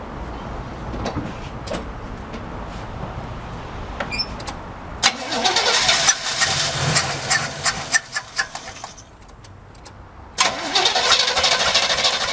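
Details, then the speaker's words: Carbureted El Camino engine, old bad gas, fed starting fluid: uneven cranking in bursts with brief firing that never catches into an idle; cranks and sputters but won't start, carburetor appears set too open. "Well, I see some gas coming in now. It actually brought some gas through. So, maybe a couple more times of the starting fluid. Maybe it will run."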